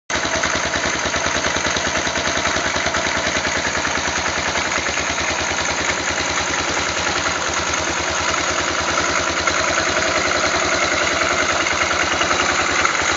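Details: Yamaha XT 500 single-cylinder at idle after cam chain tensioner adjustment: steady, rapid metallic ticking rides evenly over the idle beat; persistent top-end noise, cause not pinned down.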